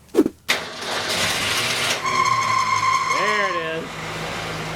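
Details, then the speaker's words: 1965 Ford Falcon V8 with a new engine: loud steady high belt squeal for a couple of seconds on cold start-up from slipping belts. "if you've seen some of the past videos you know that carl has been starting up with a little bit of a belt squeal"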